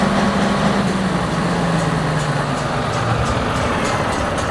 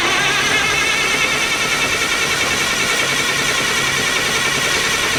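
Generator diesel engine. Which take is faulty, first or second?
second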